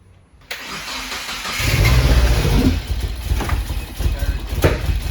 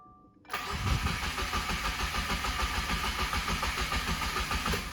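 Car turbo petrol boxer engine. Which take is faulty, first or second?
first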